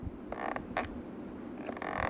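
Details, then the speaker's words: Sony PS3 DualShock 3 controller used about 1.5 years: short dry squeaks with each press from worn buttons, especially X and circle. "but you hear that squeak and the buttons are kind of starting to fill especially the x button right here little squeak right there in the circle as well"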